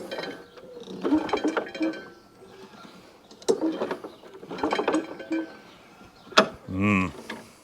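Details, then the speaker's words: Walk-behind mower that came in last week because its pull cord would not retract, now said not to start or sound right. Slow recoil pulls give a dragging, ratcheting clatter and a very peculiar noise as it turns sluggishly; something seemed to fall out, cause unclear. "just want to make sure i can feel that blade spinning it's making a very peculiar noise"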